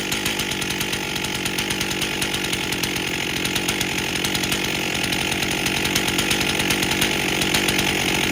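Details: 1998 Stihl 044 Magnum chainsaw, freshly rebuilt, first run with 25-inch bar, max 14,000 rpm: loud high-revving buzz that labours and stumbles slightly as throttle opens; bogging, owner suspects it may be running too rich.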